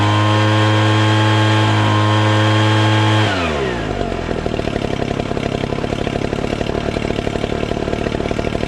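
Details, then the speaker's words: Ryobi two-stroke leaf blower, stored about two years, after cleaning and priming the fuel system: starts with a steady high buzz, then an even quick idle with no stumble or misfire; runs well without any carburetor tuning. "i'm actually really surprised i didn't have to do any tuning on this it sounded really good after it cranked up"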